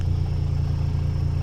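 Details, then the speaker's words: Geo Metro small petrol engine idling fast at about 1100 RPM because ignition timing is over-advanced; owner plans to swap in a distributor and computer from another car, then retime. "And once I fix that, then I'm going to have to uh readjust my timing because right now it is advanced more than it would be. That's why it idles high."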